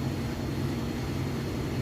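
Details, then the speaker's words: GE top-load washer on final spin with a heavy load of jeans and towels: steady, even low hum with no thumping, banging or shaking; the load is spinning smoothly and evenly balanced. "good very smooth excellent okay and it is should be just about done with this final spin cycle"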